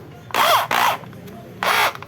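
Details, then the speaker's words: Skil electric drill after repair (power cord rerouted so housing closes, stripped screws replaced): three clean whine bursts spinning up and down evenly, no rattle or scraping; noise gone, runs normally. "são tá funcionando perfeitamente a máquina não tá mais com aquele barulho"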